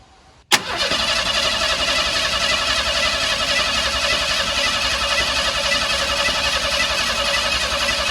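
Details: Steady starter-motor churning at about four beats a second for eight seconds, never catching or firing, on an engine that had started running rough, during carburetor rebuild work: cranks but won't start.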